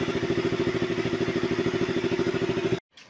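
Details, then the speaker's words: KTM RC 200 single-cylinder, cold engine after valve clearance fix (two shims replaced): even steady idle, no stalling or RPM hunting; check engine later appeared when hot, traced to O2/lambda sensor; normal idle. "So yun na nga po after natin na magawa yung motor pinaandar. Hindi siya namamatay. Hindi siya nagloloko 'yung RPM once na malamig pa 'yung makina."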